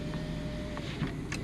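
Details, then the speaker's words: Power window motor on a 1987 Volvo 740 Turbo automatic with 37k miles: short, steady hum as the window travels up, free of grinding or binding; windows all work normally. "windows all work they are power okay there you go that one's going up"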